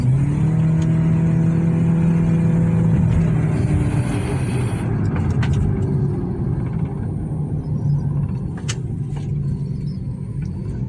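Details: Nissan Juke petrol engine after fixing a cylinder 2 misfire: steady, even low rumble at idle with no stumbles or skipped beats.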